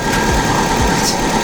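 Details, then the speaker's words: Subaru Baja Turbo, freshly rebuilt engine, just after first start, warming up, heater on, bleeding coolant, no check engine lights: smooth steady idle hum with faint even whir, no ticking or knocking, sounds healthy. "Yes! It sounds great. Heater's on. And we're just gonna bleed the coolant and listen to it."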